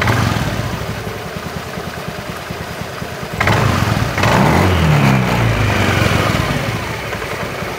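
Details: Honda Beat FI eSP scooter at low rpm, throttle blipped from idle: loose clattering rattle about three knocks a second, thickening as throttle opens; CVT rattle from worn roller housing sliders.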